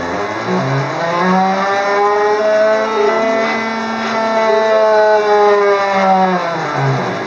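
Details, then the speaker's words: Gerber D200 plotter self-test of the X and Y controller: stepped musical tones rise and fall as the X axis sweeps, uneven and rough with a rumble and some staggering, a noisy X stepper drive. "Tones are the X drive. Seems to have like a rumble in it."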